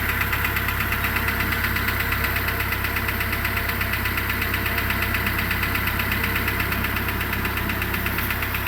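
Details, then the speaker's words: 2008 Renault Logan 1 engine idling after cold start: light even ticking/rustling about three per second, appearing around 1:25 after start, growing then fading, audible in cabin; source unknown, owner wants professional check. "То ли стук, то ли шелест, не поймёшь."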